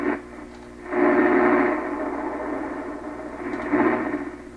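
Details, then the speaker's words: 1928 RCA Victor Model 28V radio after troubleshooting a cathode resistor/ground garble fault: steady clear mid-range programme audio, no garble or crackle, sounds 'way different'; normal reception. "Well, it sounds way different, doesn't it? I think so, yeah. It's singing."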